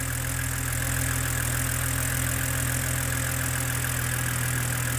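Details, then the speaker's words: BMW E89 Z4 3.0 N52 straight-six (40,000 miles) warm idle after a stuck timing chain tensioner was replaced; no leak at the tensioner. Steady, even low drone with no knocks or ticks; healthy idle. "oh that's a lovely engine I do like that especially compared with the n63 which is a a bag of spanners and a few Nails jangling around"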